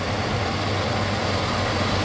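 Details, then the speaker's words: 1972 Chevy C20 truck V8, warm, newly fitted with FiTech Go Street EFI: idle steady but too high from the idle screw being in too far; backing the screw out drops it to about 900 rpm. "the idle's way too high right now if i back this down you can hear the idle speed drop"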